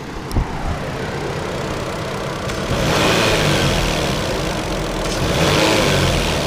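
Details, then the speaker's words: Toyota 2JZ-GTE engine: revs rise and fall with a light, irregular tapping or tick, louder coming off throttle, like a card in bicycle spokes; from the engine or possibly the intake manifold, source not pinned down. "so anyways alright guys so we may have a problem maybe my motors making a slight like tapping or ticking noise I'm not really sure I'll show you guys okay so listen closely right now I'm not sure if you can hear that but you can definitely hear it more off when it's coming down off throttle so listen to this"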